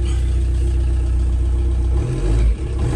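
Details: VW Caddy 1.9 SDi diesel, first start after fitting a replacement ECU and refitting the throttle position sensor: clatters and revs steadily with a deep even note that drops back cleanly; normal running.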